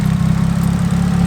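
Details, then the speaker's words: Nissan 180SX on E85, warm after a drive and long idling: a deep, steady, even low idle sits noticeably low in revs. The cause is unclear; power steering fluid is seen leaking and there is slight blow-by. "So, just gonna have a look around quickly, double check on stuff. Idle's sitting quite low."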